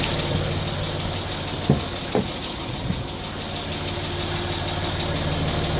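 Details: Land Rover Discovery 3 TDV6 2.7 diesel idling: a steady idle with a light tick and occasional sharper clicks. The tick occurs only at operating temperature and is louder when slowing between 1500 and 1000 rpm. Cause unknown.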